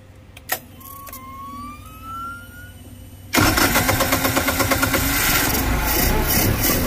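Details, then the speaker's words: Westerbeke marine generator on a Sea Ray 320 Sundancer after replacing failed capacitors and fixing stator wiring; quiet cranking then immediate catch into steady, even clatter; normal start and run. "well she started on the first try let's make sure she's making power now"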